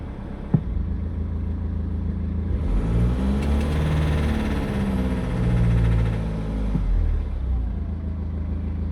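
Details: 2013 BMW X3 N47 diesel, dead cold after sitting overnight, in gear with foot on brake to simulate light load: rough, uneven knock with a slight miss, seemingly in one cylinder; attributed to a failing, soot-clogged or sticking injector; gone once fully warm.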